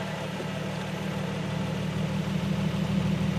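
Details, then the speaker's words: 2008 Nissan 350Z idling in neutral, mic near the bellhousing, clutch pedal pressed; even low hum with only a faint throwout bearing whir after new JWT HD clutch, OEM dual-mass flywheel, Zspeed slave and Wilwood master; quiet and healthy. "and then i'm letting it out and out and i'll rev it a little bit and another thing is when the reason i went with this flywheel is is so it would be quiet"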